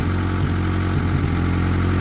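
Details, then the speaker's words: Honda Civic EK with replacement engine, old fuel, fuel pressure only about 28-38 and unchanged with regulator disconnected: low, uneven, lopsided idle with stumbles; rough idle, cause not pinned down. "Still running like [ __ ] Smells [Music] terrible."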